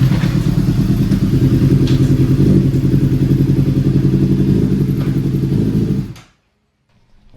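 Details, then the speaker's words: Honda CBR600RR, a wrecked bike being rebuilt to stock after being revived: choppy, lopsided idle with a heavy uneven pulse like a two-cylinder, then shuts off; one or more cylinders missing, cause unknown, hoped not low compression, teardown planned. "Sounds like a two-cylinder. So, we have a cylinder or so that's not working. Not sure exactly what it is. So, we got an issue. You can hear it. Sounds rough. Sounds like it's missing a cylinder or so."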